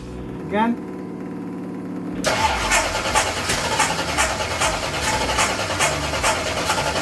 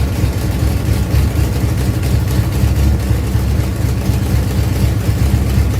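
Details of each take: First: Ford Pinto drag car with rebuilt Holley carburettor, new plugs and headers; engine fires then surges unevenly and won't idle; cause found: carb spacer plate holes misaligned, blocking the idle circuit. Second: Ford Pinto drag car after Holley carburetor rebuild (grit cleaned out), secondary throttle stop backed off, fired up to adjust idle and air bleeds: deep, steady idle with even low pulse about four per second, no stumble or hunting; normal idle.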